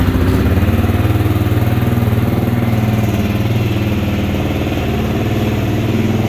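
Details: 2022–2023 Kawasaki KLR650, a model with a cold-weather crank-but-no-start issue, started in the 30s °F after sitting a couple of weeks; the single-cylinder settles into a strong, even beat of about four pulses a second: normal cold idle.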